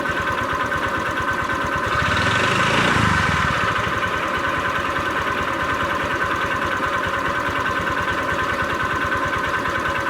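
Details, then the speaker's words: Honda Vario 125 scooter, owner suspects worn connecting rod; idle right after adding thick oil treatment to fresh Shell 20W-50, steady fast ticking knock about three a second, slightly less harsh; knocking at idle persists. "Ini lebih suaranya tidak gitu kasar, karena gue nggak tahu nanti kalau sehari 2 hari gitu nanti hasilnya kayak gimana."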